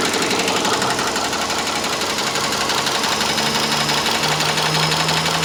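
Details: Subaru Legacy 2.5 SOHC at idle: a sharp, light ticking about three times a second, fast and even like a sewing machine, rides over a steady idle; source undetermined.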